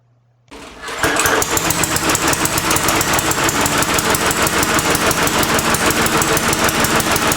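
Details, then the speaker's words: Briggs & Stratton 300 Series 148cc lawnmower, Pulsa Prime carburetor, about 5 years old: catches and runs rough, surging and sputtering about three times a second; running too rich, spark plug black and sooty. "running too rich it's running rich because I could tell because it sputters and also when I take out the spark plug it's black and city"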